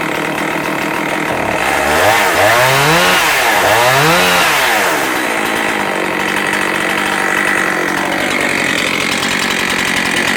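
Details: Husqvarna 272XP chainsaw with a 20-inch reconditioned bar, new chain and new sprocket gives two crisp blips up through the revs, then a steady, even high scream with no stumbling: runs clean and strong.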